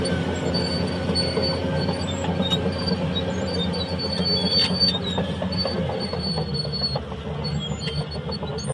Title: Cat Dozer Bad noise,,time for undercarriage JOB. idler and roller damages..